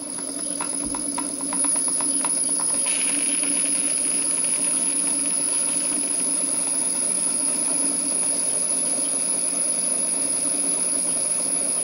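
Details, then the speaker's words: Small rebuilt model steam engine on its first live steam test, drain cocks not essential: initial knocking is the piston hitting water at each end of the stroke, then it hums and hisses steadily, running smoothly and normally. "these are very small engines so the drain coocks are not essential the knocking soon stops and the engine runs smoothly"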